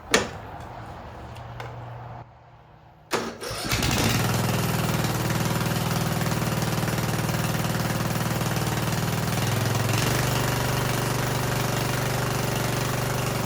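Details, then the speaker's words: Yard Machines riding mower (2000) after cleaning the gas tank, new fuel line with shut-off and screen, tightened motor mounts and oil change: short crank, then it catches and settles into a steady, even idle that steps up smoothly; normal start and idle. "So it runs pretty good."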